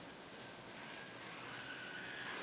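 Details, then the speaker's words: Loaded yo-yo spinning during the fingernail vibe test: very quiet, even high-pitched whir with a faint steady ring, a smooth bearing with no vibration. "and it feels basically smooth as glass this yo-yo is is really smooth"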